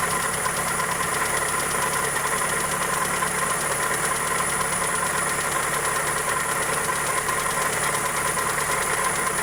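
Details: Toyota Corolla EE90 with 2E engine at idle: fast, light, evenly spaced ticking over a steady idle, tracking engine speed; suspected valvetrain or connecting rod, cause not confirmed.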